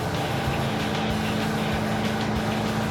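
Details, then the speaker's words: Roadkill Super Camaro V8 driving after the air cleaner was refitted: even drone with no stumbling or popping. It was lean misfiring before and now runs better without misfire or fuel smell, but is not faster. "Oh no, it was lean misfiring. But it sounds better and it doesn't stink."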